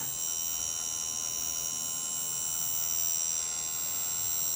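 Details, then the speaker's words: Quadcopter motor 1 (CW), tested from ground control software: a thin high-pitched buzz with rough ticking; it won't start at 1032 µs and only kicks in around 1040 µs, catches when turned by hand, and is faulty. "that is to kick off finally the obvious buzzing ticking in there get real good when I turn it down a little bit it won't start at this speed or value 1032 microseconds"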